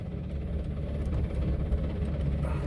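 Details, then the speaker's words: $2500 road-trip car on the final leg: heavy, uneven low rumble and rough grinding vibration under the engine note while stuck in gear, clutch not pressed when it gave out; clutch blew up, pressure plate suspected. "I wonder if the pressure plate just no. I didn't press the clutch in when it give out, so. Oh, it sounds so bad."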